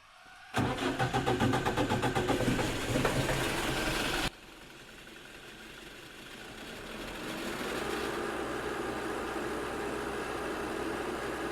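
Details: Generator engine just reassembled after a self-described poorly done valve job, with a head-gasket issue still pending; fuel primed, then started. It cranks, catches and runs lumpy and uneven, a suspected misfire.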